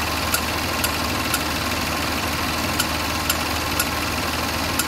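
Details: Land Rover LR4 3.0 SCV6 petrol at 127,274 km with code P0483 (fan performance): steady idle with a sharp tick about twice a second; owner suspects a failed fan clutch and finds the engine sounds diesel-like.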